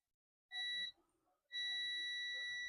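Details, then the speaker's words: Dell Latitude E5250 logic board, no power and not charging: the removed MOSFET gives steady continuity beeps in both probe directions on a multimeter in beep mode, so it is shorted. "Whoa, the MOSFET is shorted. You can see it's beeping."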